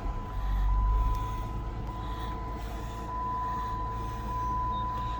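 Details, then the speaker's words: Dodge Charger SXT under restoration, started after air mass sensor and brake line replacement, smooth even idle with steady low hum and faint constant high tone, no misses or knocks; runs normally. "Runs pretty good."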